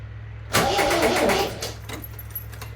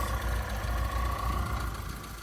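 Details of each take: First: MGB GT stored about 12 months untouched and heavily oiled, first start attempt: short, uneven, clicky crank for about a second. Flat battery was first suspected but ruled out; called a clicky starter. It later ran on choke. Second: MGB GT petrol four-cylinder after about 12 months stored, warming up to temperature: low, steady idle pulse with faint even hum, settling smoothly; healthy four-cylinder tickover, normal idle.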